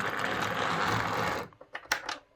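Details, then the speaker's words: Model locomotive on a Hornby HM2000 controller doing a slow pull-away: a coarse, rattly buzz with grinding for about 1.5 s, then light clicks as it stops, caused by the controller's PWM. "and let's try and do a slow pull away hear that buzz and that's that grinding noise"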